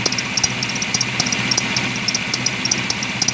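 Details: Engine running: sharp high chirps about 105 a minute; belt squeak that worsened over a month and faded once warm, from a wobbling crank pulley; harmonic balancer damper broken, replacement cured noise and wobble.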